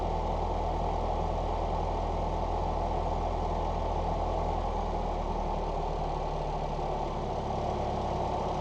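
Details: 1989 Ford Mustang Fox 4-cylinder after injector rebuild, new exhaust and IAC reset (IAC unplugged, idle screw set, battery disconnected 30 minutes): warm, smooth steady idle about 900 rpm, no knocks, misses or hunting; ECU may need ~75 miles to relearn; normal idle.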